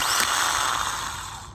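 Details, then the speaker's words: Old aftermarket reman starter from a 2000–2004 Nissan Maxima with a no-start, bench-tested on 13 V: spins briefly with a rough, gritty grinding under its whir, then winds down; internal starter motor grinding, unlike the smooth new one. "Now when I touch it, you're gonna hear a little bit of grinding noise."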